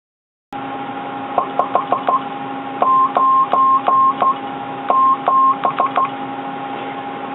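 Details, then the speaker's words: Conar 400 one-tube crystal oscillator CW transmitter, keyed Morse tone around one kilohertz: each note slides slightly in pitch at key-down; mild keying chirp, depends on transmitter and crystal. "400 has a bit of a reputation as a chirper. Listen to that CW note again. It's not really that bad in this transmitter, but it depends on the transmitter and the crystal."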